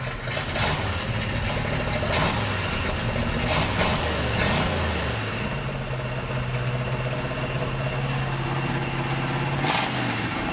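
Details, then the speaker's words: 1968 GMC half-ton longbed, running for the first time in 20 years: steady but fast idle around 1100 rpm, about 300 rpm high, no knocks, oil pressure nearly pegged. Vacuum leaks suspected. High idle. "Idle's a little high, but it's idling. Look at that. We've got a pack idling about, 1100. That's about 300 more than I want it to be."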